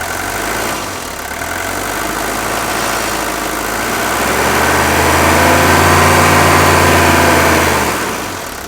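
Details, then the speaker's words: Mercedes 1982 W123 240D four-cylinder diesel, idling very smoothly, then brought up off idle: steady, even clatter rising cleanly and settling with no misses or knocks; a healthy engine. "Now that's how a diesel engine should sound. If you're out looking for one of these, you find an engine that sounds and runs like this. You have found something very rare. Here you'll get to just listen to this 240D idle, and you can see how smooth it idles."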